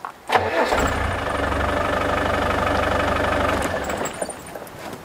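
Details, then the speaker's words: Land Rover Defender after replacing a failed part (missing spring), wired from the starter switch: starter turns briefly, engine fires at once and runs steady and even; normal start after repair. "check this out start stop result and if you can hear that as a mechanical fuel pump really cool and it works"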